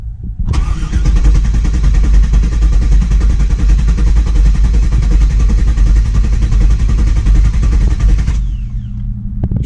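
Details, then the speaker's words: 1999 Camaro SS, first crank, foot to the floor to disable injectors to build oil pressure: steady, smooth cranking at about three to four turns per second without firing. "Cranks nice and smooth all right here we go see what happens"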